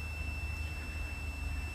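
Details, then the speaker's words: 3.6L Pentastar (Chrysler) misfire diagnosis with no codes: multimeter continuity test across a known-good fuel injector via a cut harness connector gives a clean, steady high beep with low hum; reads about 11–12 ohms, within the temperature-dependent spec. "All right, I have one end hooked up to one end of the injector. Got my own meter set up. Let me touch this. There you go. Y'all hear that bell?"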